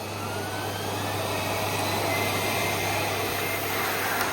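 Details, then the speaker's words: Miele S312i vacuum cleaner, nearly 30 years old, after refurbishment, carbon brushes with plenty of life left: strong, even whooshing roar with a steady hum and no rattle or surging; healthy, powerful motor. "These are You can't really believe this is 30 years old cuz it's so powerful as well."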